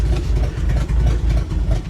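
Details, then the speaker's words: 1970 International D1000 pickup, abandoned over 20 years, at 65,952 miles on its first drive at night with headlights on: low, lumpy idle sagging and stumbling near stall; headlights dim at idle and brighten with gas. "Uh-oh. Don't die, girl. The idle's kind of going down on her."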